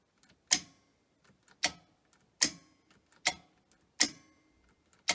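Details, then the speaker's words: Grundig 2x4 Super V2000 video recorder, new belt fitted, brake linings missing: sharp clicks about every 0.8 s as tape mechanism cycles repeatedly; owner suspects brakes or a missing switch contact. "Is that the brakes? Sounds like it, doesn't it?"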